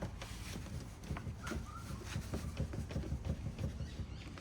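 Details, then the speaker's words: Toyota Cresta JZX90 driving with DG5 coilovers, front one rebuilt: irregular dull low thuds through road rumble; clunk traced to rear upper arm bushings, replacement bushings on order. "So the sounds, can you hear that clunking? So I have had one of the DG5 coilovers in the front rebuilt. Uh, but it's actually the upper arm here, uh, that comes out here."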